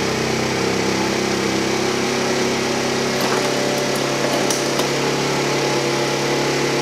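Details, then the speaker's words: Tao Tao Pony 50cc GY6 139QMB scooter on first start after assembly: thin, fast, steady buzz holding at a very high idle before tachometer adjustment to factory spec; high idle on cold start. "all right so start it up you can tell the idol is really really high I'm gonna hook up my tachometer and adjust the idle speed to the factory recommended specifications"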